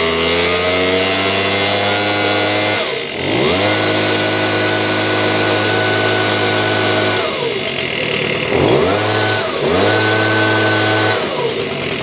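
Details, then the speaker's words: Stihl BG56 two-stroke leaf blower, restarted at wide-open throttle with choke off after being flooded full of gas: revs drop and recover with a ragged, uneven note before holding a steadier high rev; rough running after flooding. "Well, it's running good. It did sound pooch there for a few seconds. The motor didn't sound right, but then it came better."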